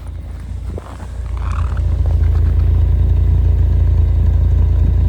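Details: 1989 Ford Tempo coupe, heard at the exhaust after replacing all spark plug wires and coil wire: even low burble at idle, steady pulses about four a second, no misses or popping; normal exhaust note at idle.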